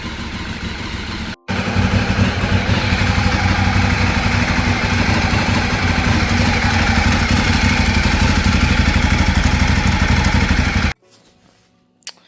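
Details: Ducati 848 twin after Desmo service and timing belt rebuild, running until hot before coolant change; steady even idle with firm low thump, no odd noises, then switched off; normal warm-up idle.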